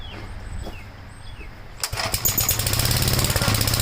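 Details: 1956 Gravely Model L single-cylinder, just started on choke at about 3/4 throttle, then throttle lowered and choke off: uneven, choppy beat with irregular pops. Oil-fouled plug and smoke at start; top-end/valve trouble suspected; rough running with popping.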